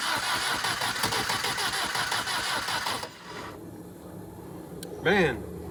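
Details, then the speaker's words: Willys CJ2A Jeep during first-start attempts: starter churns about three seconds with a few weak catches that never take, cranks but won't start; owners suspect ignition timing needs adjusting again, possibly carburetor trouble. "Um, it's trying. We got adjust timing again here. Okay. I don't know why it's doing that all of a sudden."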